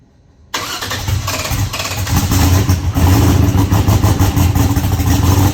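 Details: Eagle Talon engine just converted from Pro EFI to Holley and rewired: catches after a silent gap, loud and uneven with lumpy irregular pulses, no smooth idle, seemingly running on one side only and throwing fuel out; cause not yet found.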